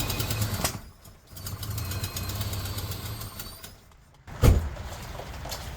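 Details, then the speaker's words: Volvo 240 after engine replacement, first run: low uneven idle with fast light tapping on top, more tappety than expected and not healthy-sounding; oil level full and clean, cause unknown, carburetor adjustment next. "that was a lot more tapety then I would have liked it to have been why I don't know what's happened there that sound tappy to you that didn't sound healthy"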